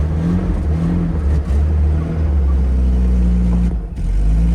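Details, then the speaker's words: Datsun 280ZX after a new fuel filter and added gas: the engine catches and holds a steady, even low run, with a brief rev rise and dip near the end. It is finally running normally. "and look at that guys with the brand new Fu filter and some gas in it she's finally started up and"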